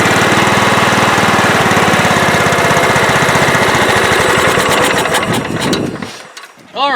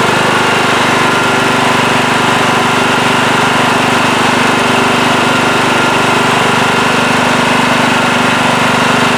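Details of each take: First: Late-1990s Scotts lawn tractor with a single-cylinder Kohler engine that sat for years: the beat swells and sags instead of holding steady, and the governor arm hunts back and forth. The carburetor is suspected and is to be cleaned. Engine surging. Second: Late-1990s Scotts lawn tractor, single-cylinder Kohler, had surged after sitting for years; after carburettor cleaning and rebuild it runs steady with no hunting, smooth at low idle, perhaps a slight hiccup left.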